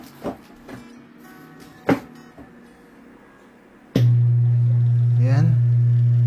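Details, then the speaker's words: Small cheap secondhand active/powered speaker: after a few handling knocks, a loud constant low hum starts at power switch-on and never changes; mains hum, owner suspects filter capacitor. "So, ugong lang naririnig natin ngayon. Malamang kadalasan sira pag ganito mga tol."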